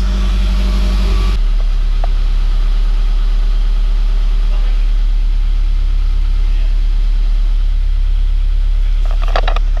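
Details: GT86 refitted engine with new forged pistons, rods, valve springs and oil pump, just after first start: low, steady idle rumble with even pulses and no tapping or knocking; idling smoothly.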